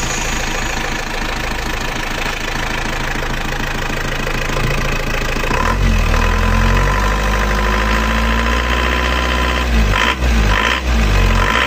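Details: Diesel after an engine rebuild with new piston rings: loud, rough clatter with a hard knock on every firing at idle. Worn timing gear damper found and the gear replaced; injection pump timing suspected too advanced. Harsh diesel knock.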